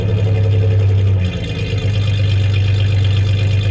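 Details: 1993 Ford Ranger 3.0 V6 at idle: a low idle rumble with an uneven, stumbling beat, as one cylinder drops out. The owner suspects cylinder 3; unconfirmed.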